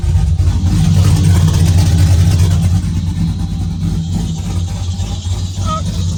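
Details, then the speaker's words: Car reassembled after suspected off-centre transmission rear cover, no tune, started with some throttle: loud, deep steady exhaust rumble pulsing about three times a second, no knocks or ticks; engine runs healthy. "What it was needed gas. Has no tune, so we had to give it a little bit of gas pedal to get it going. And once you got it going, it would go."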